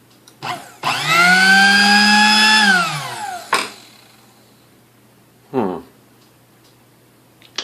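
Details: Sunbeam Mixmaster Model 12 that would not run: with the connection made directly, bypassing the original speed switch (suspected), the motor hums smoothly up to full speed and winds down evenly, no grinding or stutter.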